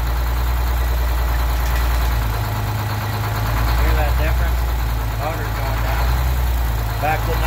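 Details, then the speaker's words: Detroit 6-71 two-stroke diesel smoking at idle, injector cut-out test on cylinder one: the low beat shifts and slows about two seconds in when cut; cutting number one made the smoke stop, marking it as the bad injector. "cut out the injector number one and you can hear either it's gonna go down or it's not"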